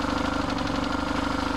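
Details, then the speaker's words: BMW R1150RT twin idling before warm-up, light quick ticking over steady pulse; no free play on either throttle cable; suspected worn throttle body shaft, not confirmed, synchronizing planned once at temperature. "usually a worn throttle body shaft there's no free play on the right throttle cable"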